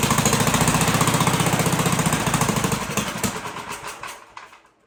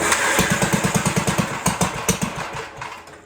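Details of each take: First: 1958 Gravely Model L single cylinder, sat about a year, first start after getting fuel to carburetor and turning needle valve out, choked, throttle not hooked up: uneven chugging about 220 beats a minute, stumbling and dying out. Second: 1958 Gravely Model L single-cylinder, revived after sitting a year or more, throttle reconnected, holed muffler: fairly even pops about three a second before fading off; runs decently, kill switch faulty.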